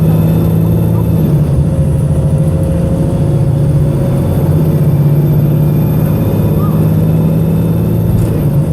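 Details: Arriva North West 3008 (MX59AAY) VDL SB200 bus diesel under full-throttle thrash, recorded December 2017: labouring hard under load with uneven, lumpy low drone, engine misfiring.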